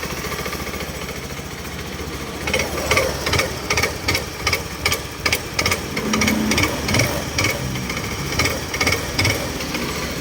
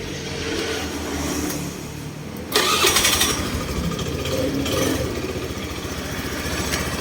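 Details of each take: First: Honda Scoopy-i scooter when throttle is twisted: sharp irregular pounding knocks from inside the clutch, caused by worn, loose clutch slider pieces. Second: Honda Scoopy-i scooter after tightening a loose part in the drive/clutch assembly that knocked when throttling, fairly even idle, knock reduced about 90%: normal running, knock largely gone.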